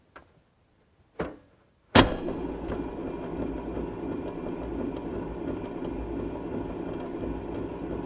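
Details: 1978 Fisher-Price phonograph, model 825, switched on with a microphone set up: after a couple of switch clicks the small motor whirs with a rough, gritty running noise; it runs fairly well but is noisy, with platter wobble and a touchy switch.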